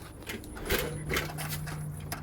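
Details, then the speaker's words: Diesel after major repairs, engine off: a quiet electric whir holds a steady low tone for about 1.5 seconds during the turbo actuator self-calibration, run with the actuator installed on the turbocharger. Calibration completed normally. "Oh, you hear it. Turbo actuator pre-aligned self-calibrated complete."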